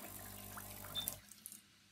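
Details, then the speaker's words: Expert steam vacuum cleaner (Classic/Premium/Carbone) water-supply check: low steady pump hum with water spitting out the return, then clean cut-off; tank heating, pump confirmed working. Normal pump operation. "voilà là nous avons vérifié que notre pompe fonctionne puisque ça sort ici"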